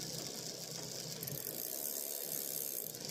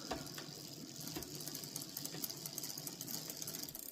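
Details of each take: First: Bicycle rear derailleur after adjusting to stop the noise: light, even freewheel and chain ticking with no grinding. It shifts up and down cleanly; normal gear shifting. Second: Bicycle rear derailleur, pedalling with the shift cable over-tightened by the barrel adjuster: fast light metallic ticking as the jockey wheel sits slightly outside the chain line; backing the adjuster off fixes it.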